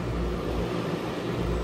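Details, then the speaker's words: Newly DIY-installed package air conditioner, first start-up: steady low hum with an even fan rush and no rattles, squeals or grinding, warm air from the top; normal running. "But, we'll go ahead and fire this up and hear it run. We're up and running."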